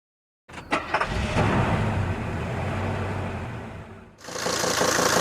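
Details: Mercedes-Benz 410 D Sprinter OM602 diesel catches and idles with a dull, regular deep knock that changes slightly with clutch pedal or loosened injector lines; crankshaft play in worn main bearings.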